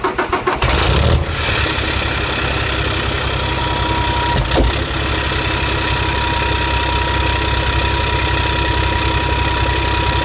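Car engine cranks, catches and idles with an uneven, stumbling beat, typical of a misfire.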